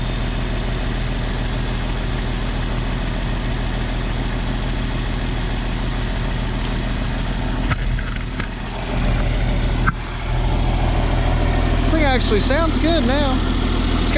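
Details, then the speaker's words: 1994 Isuzu cab-over diesel truck, sat 3 years, now running after fuel additive added; steady regular idle clatter, no skipping or stumbling; normal diesel idle. "i also dumped a bunch of fuel additive in that i think that's what helped it don't sound bad at all"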